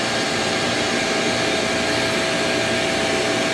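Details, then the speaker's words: HTP Munchkin boiler with fault F09 (intermittent): pump running, cover off, blower rushes with faint whistle as gas valve opens and closes but no flame lights on retry; ignition failure, boiler locks out. "I was supposed to try one more time there it goes gas valve open gas Val closed no flame"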